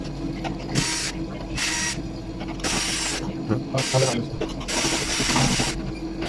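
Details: ECA Proteus Plus Blue combi boiler making noise: rough mechanical rattle in repeated bursts over a steady running hum; the flue exhaust fan is worn and noisy.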